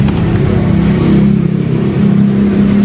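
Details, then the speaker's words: Honda Beat carburetor scooter after repair of starter that only clicked "tek tek" (starter wiring rerouted): fires straight up on the electric starter and settles into a steady, even idle with no clicking; starting properly. "Nah ini kan udah beres, kita langsung tester untuk bagian testnya, langsung nyala ya."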